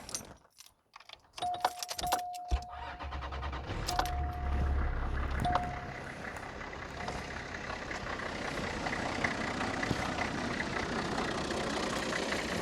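Keys rattle, then the starter cranks and the diesel catches into an even, clattery idle that holds steady afterward.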